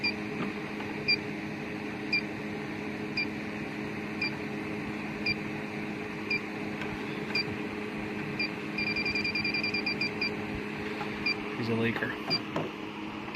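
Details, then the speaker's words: Warmed-up electronic leak detector checked at the evaporator coil of a low-subcooling HVAC system: slow ticks about once a second, then a fast burst of beeps, alarming on a refrigerant leak at the rear U-bends of the evaporator, a common leaker. "These things are real bad leakers a lot of the time. See, she rings off back in the back."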